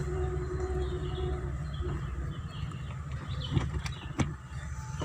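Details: Car whose owner reported noise from the left-side tyre, after fix: a low, even road rumble with no rhythmic thump, tick or scrape, birds in background; tyre rolling quietly, normal.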